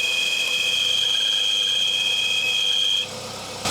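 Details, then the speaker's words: Citroen CX GTi idling on first start after a head gasket job: a steady high-pitched whine rides over the idle for about three seconds, then cuts out. Owner first wondered about the fan or hydraulic pump; it's the alternator, no issue. "It's the generator. No issues there."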